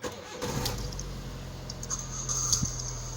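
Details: Car after repairing a no-crank, no-start fault caused by a faulty ignition switch (battery okay): key clicks, quick crank catches and settles to steady even idle; starter engages, engine fires cleanly, fixed.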